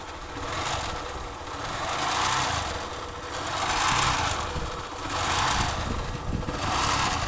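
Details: Honda Fan 150 motorcycle idling with a rough, uneven rasp rising and falling about every two seconds; abnormal engine noise, cause unknown, awaiting mechanic.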